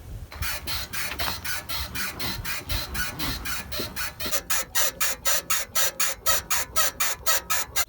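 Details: BMW 3 Series E90, rear floating suspension bushing (silent block), before lubricating it by syringe with thick oil: sharp squeak about twice a second in step with the car rocking; dry rear bushing squeaking.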